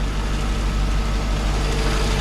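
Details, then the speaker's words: Mercedes SLK 55 AMG (R171) M113 V8 at idle, service overdue: heavy steady idle with constant rough rattle over the low rumble; crankshaft drive pulley split in two, held together by the belt. "here is the issue right here this old guy here if you can hear it rattles like crazy"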